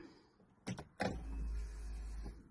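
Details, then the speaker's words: 1993 Mercedes-Benz 124 E220 coupe, 2.2 four-cylinder, with newly fitted external fuel pump: ignition on gives clicks then a low steady hum for about a second, a noise absent before; normal fuel pump priming. "Ooh, that's a positive noise. Fuel pump noise. Mhm, that wasn't there before."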